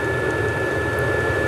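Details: 5 kW stationary diesel heater, adjustable 1.6–5.5, running at full power, hotter than owner's 2 kW unit in a Jumpy: even loud roar with steady fan whine, no pulsing or sputter; healthy.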